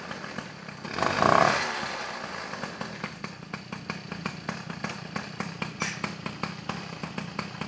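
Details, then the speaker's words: Peugeot 103 SP moped, first start after wiring a DD engine: crisp two-stroke popping at a quick, uneven idle of about three beats per second, settling after a short rev, left to warm up. It starts and runs normally. "ça démarre bien moins cher c'est plutôt pas mal tout ça à laisser chauffer"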